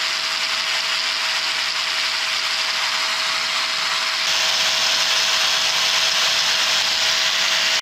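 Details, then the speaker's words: Power tool motor after brush fix, a larger brush ground down on a bench grinder to match the old size; steady high whine holding one pitch, then clean shutdown; no brush sparking, runs smooth. "success man the new brush uh is not producing any Sparks at all and all I did was just take one of these bigger brushes to the bench grinder and make it uh about the same size as this one"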